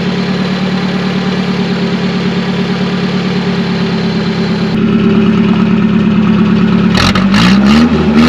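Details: Classic Nissan 720 pickup, manual, after flushing water from the fuel and a tune-up: smooth low idle around 550-600 rpm, clean rev blip settling back; runs healthy.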